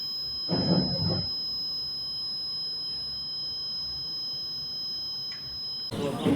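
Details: Three-phase generator auto changeover panel emits a steady, unbroken high-pitched beep, having locked into protection mode.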